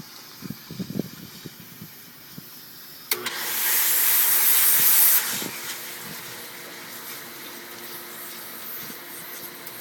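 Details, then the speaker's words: Chlorine pool pump priming after relief-valve O-ring lubricated; tank shows no pressure as sharp hiss of air vents from filter air relief valve, easing to steady rush before water follows; normal air bleed during priming. "The pump's priming back up, getting air out of the sea. The air comes flying out of here. Pretty soon there'll be water coming out."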